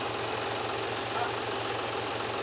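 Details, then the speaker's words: John Deere 5105 diesel tractor after full engine repair for overheating, first start after refilling coolant, starting on one crank: steady idle with even low chug, no misses, no smoke: normal idle. "क्या शानदार firing आया है यार। बिलकुल भी धुआ नहीं है।"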